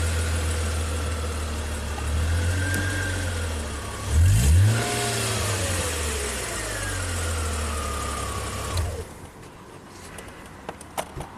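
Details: 2005 Chrysler Crossfire after replacing the crankshaft position sensor to cure stalling: cranks briefly, rev flare, then steady even idle; normal start and idle.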